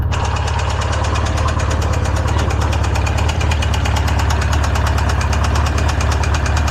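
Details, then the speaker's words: Polaris RZR freshly built engine that had locked up, freed and run on Lucas oil; about 30 minutes runtime, hot, brass found in drained oil: heavy steady knock roughly three per second over low idle drone; spun rod bearing. "Still knocking like crazy, but it's still running. I am completely impressed that it's still running this long."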